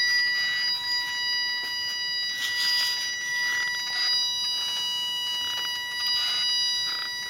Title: 370z whining noise